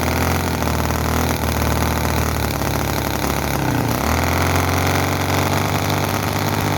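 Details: Chinese commercial model V-twin engine, possibly the Cison FG-VT9 9cc or Microcosm R28 4.3cc. Runs fast and uneven with stumbles and a mid-clip speed dip, not running slow, explosions and oil coming out; fuel tank suspected inadequate.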